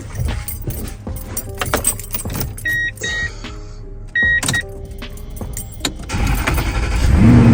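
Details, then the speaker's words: Starting a 2003–2006 Toyota Tundra for the first time after starter replacement: the starter spins briefly, then the engine catches and settles into a steady idle. Cranking and start sound healthy, so the new starter works. "Everything is bolted back together, so I'm gonna start it up now and see what's gonna happen. Yeah, should just start right up."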